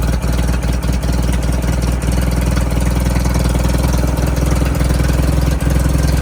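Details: 1988 Suzuki Samurai parked since the late 1990s, straight-piped with no exhaust at all: loud, deep, raw idle with a hard blatting exhaust beat, nothing muffling it.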